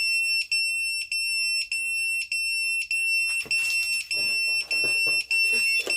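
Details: Emax Tinyhawk 1S brushless FPV drone after adding a buzzer and capacitors, powered up: sharp high-pitched beeps about a hundred a minute in a steady even pattern, some handling noise later; buzzer works properly.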